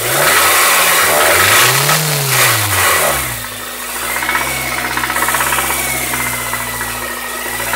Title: Honda civic type r engine knocking